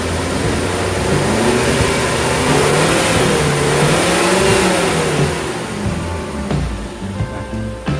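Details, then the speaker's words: Suzuki Zebra Espass revving after retensioning a loose alternator belt that had let the voltmeter drop: revs up and eases back smoothly with no squeal or slip, voltmeter holding 14.1 V; belt gripping fine. "Tidak ada slip. Jadi kalau tadi strengthnya ini tidak begitu kencang, dia kan akan slip dan pasti tegangannya di voltmeter akan turun dari angka 14, pasti turun di angka 13."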